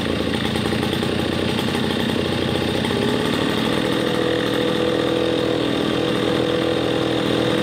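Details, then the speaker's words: RedMax EB7001 two-stroke leaf blower after rebuild of seized engine with new piston, cold start taking a couple extra pulls; steady even buzzing idle, no misses or knocks, runs smoothly, normal idle. "well there you have it we have a good fully functioning blower motor and it was a cold start that's why I ended up taking about two more cranks but other than that sounds nice perfect it idles great"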